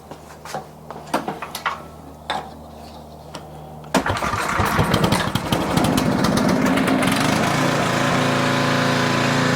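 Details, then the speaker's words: Older Tecumseh 4,000 W generator with adjustable main jet on the carburetor: starts after a few clicks, then engine speed hunts up and down. Surging from too lean a mixture; to be richened. "It's surging. Surging usually means too lean of a mixture. So, we don't want that."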